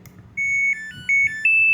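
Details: Samsung washing machine after PCB repair: start button fault fixed by bypassing diode-to-optocoupler line and removing a capacitor; short melody of clear high beeps stepping in pitch over quiet background, normal power-on chime.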